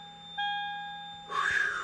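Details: Continuous steady warning beeping with brake lights on in a 2001–2009 Toyota Prius, brake master warning alarm from a failing hydraulic brake pump.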